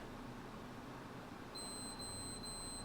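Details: PlayStation 5 that powers on, then beeps three slow times and shuts off: quiet hum, then high electronic beeps in three short runs.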